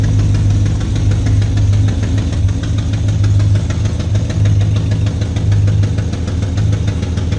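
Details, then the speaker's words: 2012 GMC Sierra 6.2L V8, heavily abused, not being driven: loud, uneven heavy knock about once per second over a rough lumpy idle; valve springs checked fine except the rear cylinder; cause still unknown. "so as you can hear this thing sounds pretty [ __ ] terrible so we haven't been driving it still unsure what's broken"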